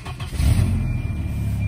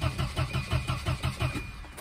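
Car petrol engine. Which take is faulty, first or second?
second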